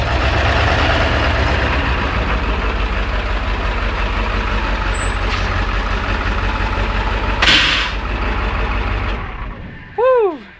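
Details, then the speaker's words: 7.3 liter diesel idling after glow plug controller and relay replacement fixed starting: smooth, low, even diesel rumble with one air hiss, no misfire or knock, then shuts down. "It started right up. That's a huge improvement."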